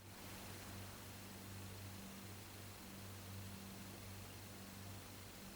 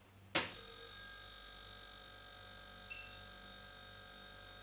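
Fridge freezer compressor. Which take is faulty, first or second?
first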